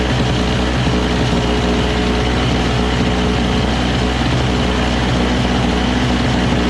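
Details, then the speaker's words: Single-stage two-stroke snow blower running high on full choke with fresh premix: a steady, buzzy note with no load changes; the auger paddles spin without the handle engaged, though the cable is loose. "so so while it works right the paddles are already spinning without even me pulling on it so it's kind of like all the time engaged and it's loose so that that shouldn't be it"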